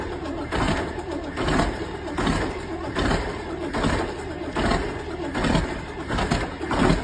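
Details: Volvo tractor diesel at -15 °C; slow, laboured cranking pulses just over once a second that never catch and run; cold no-start, engine cranking.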